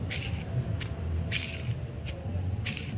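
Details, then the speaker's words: Worn manual-car clutch release bearing, already removed and spun by hand: dry gritty rattle in short bursts because its grease has run out; the cause of the rough noise when pressing the clutch pedal. "nah jadi yang menimbulkan suara kasar pada saat kita ngopling itu dari sini teman-teman"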